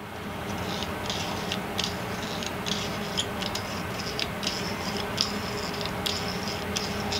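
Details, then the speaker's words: 1998 Hobart Handler 120 MIG welder after cleaning the dirty wire feed speed rheostat: soft steady whir with light ticks of wire moving, no squeal or stutter, noticeably quieter than before; normal wire feed operation. "so even with that little bit of cleaning it's already quieter this is what it sounded like before and this is what it sounds like now"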